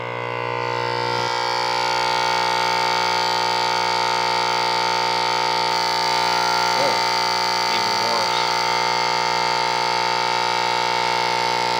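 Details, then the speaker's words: 1946 Sears Silvertone model 132.818 four-tube series-string TRF AM radio, bought not working: loud, steady hum like no filtering at all, because the filter capacitors were grounded one terminal off from the correct point; fixed by moving the ground. "This sure is acting like it has no filters at all. I don't know. Okay, so we made some changes here. I did not have the capacitors, the filters were not grounded to the right point."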